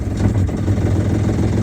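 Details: Boat inboard engine after broken shift cable replaced with new cable and homemade stop shift collar, running in forward gear; steady even low rumble with no knocks or misses; sounds healthy.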